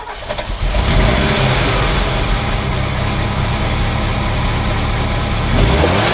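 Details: Ferrari Mondial V8, cold start after a morning no-start: hesitant crank as if trying to run backwards, then a rough, uneven, lumpy idle with popping, banging and an unwanted thrumming like an old marine engine. Timing mark not visible; owner suspects a sensor. Misfire on cylinders 5-8.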